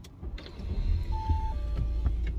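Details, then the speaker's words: Audi A6 idling while checking for dual-mass flywheel hammer noise: just a low, smooth engine rumble with no hammering or rattle, absolutely quiet; dual-mass flywheel still okay. "now we have Audi a67 it's absolutely quiet here"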